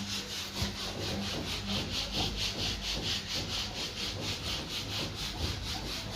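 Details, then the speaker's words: Washing machine spin dryer shakes the whole machine with rhythmic knocking about twice a second as the drum labours; the motor isn't delivering full power, a weak capacitor leaving the spin motor short of speed. "पूरी machine हिल रही है और खटखट के इसके अंदर से आवाज आती है"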